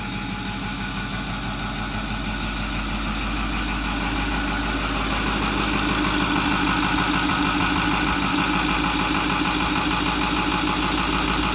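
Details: 2008 Ford F250 6.4L turbo diesel after replacing the electric diesel fuel pump that failed when hot and purging the system: steady, even diesel clatter at a settled idle, no stumble or hunting; normal idle.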